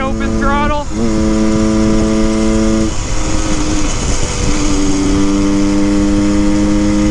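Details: 1974 Honda MT250 Elsinore two-stroke on a wide-open-throttle top speed run after tuning, redlined for the first time; pitch climbs clean and drops at each shift with no crackling or breakup, reaching about 75 mph. Running healthy.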